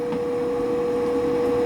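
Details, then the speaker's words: Power vent gas water heater, replacing a fanless direct vent on a middle floor; meter (A-weighted, slow) reads about 74 dBA beside it. Constant loud mid-pitched hum over steady fan rush; blower simply noisy. "You can see on the sound meter, it's pretty loud, about 74. So I got it set on 70. And then it's reading about +4."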